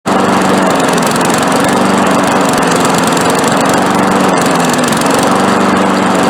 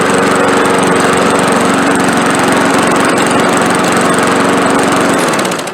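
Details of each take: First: Briggs & Stratton 5.5 push mower running with a wavering, hunting surge, spitting and missing and cutting back; owner suspects intake leak or bad head gasket among possible causes, while uneven firing suggests a gummed-up carburetor starving the engine. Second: Old Walmart push mower with 5.5 Briggs engine, formerly surging and skipping, after carburetor cleaning with carb cleaner: steady even small-engine drone at constant speed, no surging or skipping, then cut off; runs properly.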